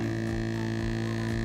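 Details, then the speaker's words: LDO Voron 0.2 3D printer during input shaper tuning, microphone attached directly: steady low buzzing tone with faint rattle ticking about every half second; resonance near 67–128 Hz, a panel rattle is suspected, not confirmed. "sounds like a panel and now it's gone again so it's like there are some resonance frequencies 67 128. it's interesting like now there's like um yeah it's like every five six Hertz like there's some resonance"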